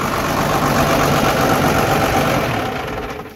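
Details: Cummins 12-valve diesel swap after P7100 pump repair and refitting the AFC housing correctly, not run in a long while: even idle clatter about four pulses a second until it winds down. Normal idle.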